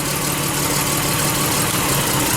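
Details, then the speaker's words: Lexus RX300 V6 with check engine light, idling during coil-unplug test: rough, uneven undertone and slight stumble; unplugging one cylinder's coil brings no change, so it's misfiring, cause possibly coil, spark plug, injector or wiring. "How about this next one? Nothing, man. So something's going on here, obviously. This cylinder, something on this cylinder is not operating properly."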